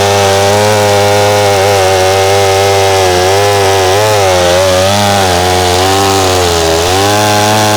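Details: McCulloch SP-125 chainsaw with .028 jet (two sizes down) cutting: high steady scream, pitch wavering and climbing, no burble; possibly a tad too lean, owner suspects heat/vapor lock; plans .029 jet.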